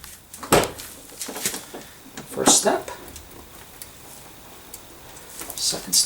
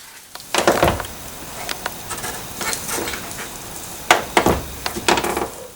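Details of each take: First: 1992 Mercedes R129 SL door after door check (strap) replacement: door swings through both detent stops with only soft clean clicks, no creak or pop; quiet door check. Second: 1992 Mercedes R129 SL door, door panel removed, with the door check strap treated with silicone/lithium grease. Short creaks and clicks in bursts as the door swings, quieter than before greasing: worn door check nearing the end of its life.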